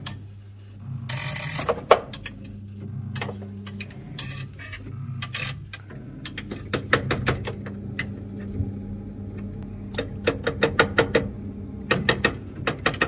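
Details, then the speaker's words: Chaffoteaux & Maury Nexia boiler starting to heat after board repair: sharp, dry clicks in irregular bursts over a low hum. A relay on the board that no longer has enough force to engage is suspected, not confirmed. "On entend bien que... enfin, le relais, il peut s'alimenter sans clencher parce que c'est l'ordre qu'il reçoit."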